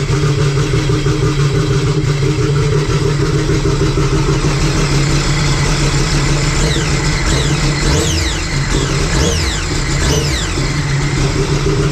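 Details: Sea-Doo RXP-X race jetski with a freshly built engine for a Pro Spec class build; a steady, even low drone with no knocks or misses. It runs cleanly, slightly smoky from oil in the fresh motor, with no leaks.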